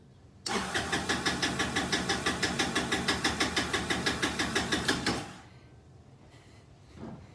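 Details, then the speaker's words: Kymco scooter with gravity-fed carburetor, fuel pump bypassed: fires into a loping, pulsing run about three beats a second, dies after five seconds, still running poorly so fuel pump likely not bad; probably a carburetor issue. "so we're still running we're still running crappy so that is telling me that there's a very good chance that that fuel pump is not bad"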